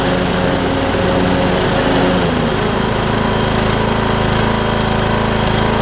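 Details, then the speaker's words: MTD Craftsman LT2000 riding mower after repairs to the drive and mowing systems, including belts and a pulley: single-cylinder engine pulls steadily under cutting load, blades spinning smoothly; deck drive engages well, mowing normally. "only time will tell but i think we got it um it's engaging and disengaging very well"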